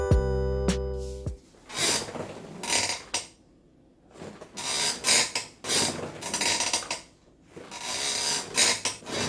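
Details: 3RSYS Formula V gaming chair: creaking present from new and grown loud over about six months; rasping creaks with each rock from dry bolt threads at the frame joints, fixed by oiling the bolts.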